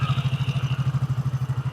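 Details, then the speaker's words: Yamaha Mio J scooter with original engine block after rebuild, idling with the exhaust just fitted and valve clearance at 15/20: even, steady low thump about twelve beats a second with no ticking or clatter; very smooth, healthy idle. "nah ini ketika knalpotnya sudah dipasang diengarkan nih halus"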